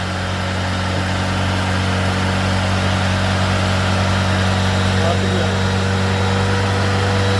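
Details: 1993 Tofaş Doğan SL 1.6, 81,575 km, after crank bearing replacement for knocking from running low on oil: smooth steady idle, even hum, no bottom-end knocking; sounds healthy.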